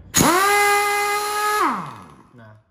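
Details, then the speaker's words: Air impact wrench just back from service, sounding like speed 1: short free-spin whine rising quickly, holding a middling pitch about a second and a half, then winding down; running weak, low on power. "Nah biasanya yang sering terjadi itu teman-teman ketika sampai di lokasi suaranya itu cuma kayak suara speed satu kayak gini teman-teman"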